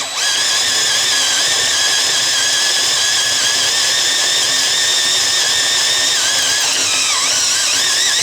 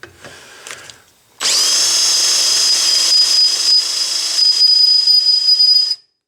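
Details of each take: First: Variable-speed drill on 3/16 inch steel plate, run slowly with firm pressure and lubricant: steady high whir under load, no squeal, clean drop-off at breakthrough; big chips, bit stays cool, correct drilling. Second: Drill boring metal with a piercing high squeal, smoke and fine powder chips: the bit spins too fast with too little pressure and overheats; slow the bit down and apply more pressure.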